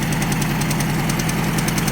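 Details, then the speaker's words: Ford Escort MK3 GLE that runs horribly: light irregular intermittent ticking over a rough lumpy idle; owner suspects a collapsed hydraulic lifter, possibly a bad cylinder or cam, valve cover to come off to check. "So, I definitely think we've got a cylinder that's messed up or just hydraulic lifter that's collapsed or hopefully it's not a bad cam."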